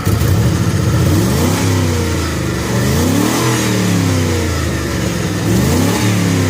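V8 revving up and settling back with a raspy, puffing edge and a slightly uneven beat, pointing to an exhaust leak and a misfire. Cause suspected, not confirmed.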